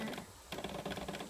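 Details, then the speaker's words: PS3 playing only The Last of Us: fast rattly clicking over a low buzz from the disc drive, then the screen goes black; other games work fine; clicking and buzzing from console. "like a buzzing sound and the screen looks like this and then it turns black sea and buzzing goes"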